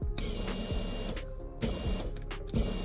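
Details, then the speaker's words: BMW 335is with DIY port injection for E85, secondary fuel pump activated with the kit's testing tool: short electric whirring bursts with sharp relay clicks roughly every second; the pump primes and works. "And I can hear the relay clicking as well. So, we know it's working."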